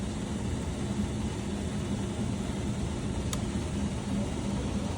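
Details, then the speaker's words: Newly installed AO Smith 500 power-vented gas water heater, just fired up: quiet, steady whooshing hum of the power vent blower with no rattle or scrape; it runs normally and works only when plugged in. "There you go. I hear the fan going. if the power vent is not plugged in, this will not work."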